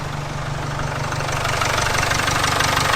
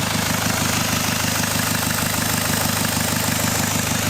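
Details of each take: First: Jaguar XF at idle after the unbolted, hissing EGR pipe was refitted with its two 10mm bolts: steady, even idle about three beats a second, no hiss or leak; engine running properly, not yet up to temperature. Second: Jaguar XF, first start after starter motor reinstallation: steady idle with an even beat under a constant airy hiss, exhaust leaking from an EGR pipe left unbolted earlier on the ramp; two 10mm bolts refitted cured it.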